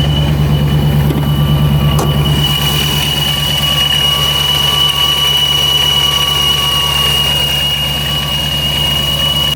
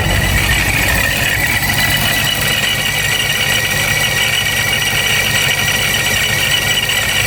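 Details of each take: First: Dodge Hellcat/392 Charger supercharger at warm-up fast idle above 1000 rpm: steady rumble with thin constant whine, no grinding; sounds normal here, whereas the noise appears at lower idle (owner suspects idle set too low). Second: Hellcat/392 Charger supercharged V8 with a low, lumpy idle around 700 rpm; constant gritty gear-grinding rattle heard only at idle, said to worsen when warm. Owner suspects supercharger gear chatter from the low idle.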